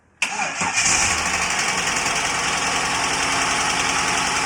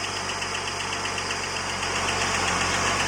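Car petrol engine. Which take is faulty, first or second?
second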